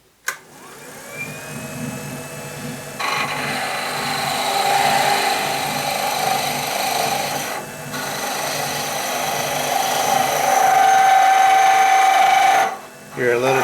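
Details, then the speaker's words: Wood lathe turning a honey dipper, smoothing pass with a skew chisel: steady cutting hiss with a rough, fluttering rattle and a brief squeal, chatter because the thin workpiece flexes. "of chatter there that's because our piece is getting thin almost there"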